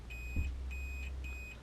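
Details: Sharp CB4470 hideaway CB radio, yellow-wire connector pin not connecting through the circuit board: a high continuity beep cuts in and out, four short bursts in two seconds as the connector is moved, showing intermittent contact.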